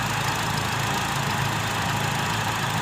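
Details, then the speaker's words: Petrol car idling with A/C on after refitting and tensioning a new A/C belt that had been loose and squealing; no slip or squeal even when revved. "بنزين، والسير مش بيتزحلق ولا بينتج اي صوت حتى لو زودنا بنزين."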